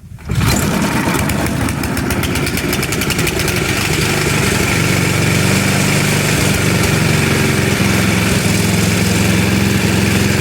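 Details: Tecumseh HMSK80 snow blower, warm from the garage, unchoked and throttled up, after fixing a no-spark fault where a deformed cover corner touched the shut-off switch: it starts first pull and runs a steady, even high-speed buzz. Normal running.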